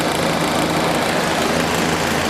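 Steady, even motor hum with a constant airy rush and no rattle or surging; the fan runs smoothly at a single speed.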